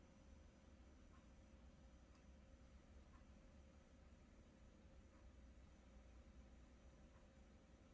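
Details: Control box on a Whirlpool electric water heater: faint light ticks about once a second over a low electrical hum, occurring often day and night. Nothing visible inside the box explains it; cause unknown.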